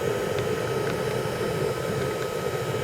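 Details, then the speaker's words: 1980 Yamaha IT175G two-stroke enduro idling with oil packed in the muffler getting up to temperature and burning on and off; steady idle with rough fluttering pulse-jet-like exhaust and faint irregular pops, heavy smoke: muffler fire. "and here it's actually caught fire inside the muffler kind of burning on and off the guys actually yep something it sounds like a pulse-jet engine yeah it's caught fire inside the muffler"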